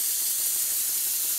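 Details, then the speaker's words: Stuart Double 10V steam engine run on compressed air, not self-starting, low power: steady hiss with faint rapid pulsing, constant blow from the cylinder nearest the flywheel. "you can clearly hear that there's a constant blow from this engine and it's coming from the cylinder nearest the flywheel"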